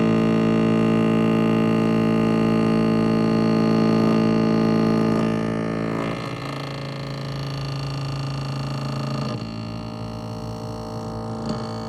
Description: My GE twin cool refrigerator periodically makes a loud grinding noise.